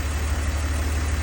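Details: 2002 BMW 330Ci idle: steady low rumble, smooth and even, no ticking; earlier problem gone, cause unknown; idling cleanly.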